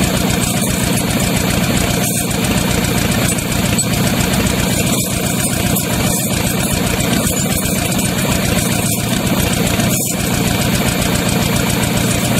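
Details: Used Chevy 350 small-block V8 on an engine stand, after carb cleaning: loud idle broken by irregular stumbles every second or two; good oil pressure; pulling number three plug wire made no change, suggesting that cylinder was missing.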